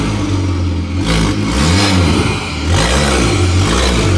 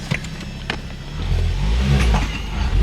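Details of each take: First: Ford Focus ST/XR5 Turbo with severe misfire: revving with a raspy chuffing puff on each rise and an uneven stumble; exhaust leak where the downpipe bolts came off at the turbo. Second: Ford Focus ST/XR5 Turbo pulling away after the exhaust leak was fixed; deep, even exhaust drone rising smoothly, far quieter, with no blowing or ticking leak.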